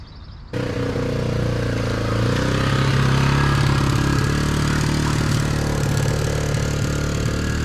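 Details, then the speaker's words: 1987 Honda XR250R dirt bike after sitting over winter, carburetor bowl bled of old fuel and refilled with fresh, idle screw adjusted down from too high: steady single-cylinder thump at a low even idle, no misses or rattles, before warm-up. "all right so that worked good but it sounds like it's idling a little high so you want to go in"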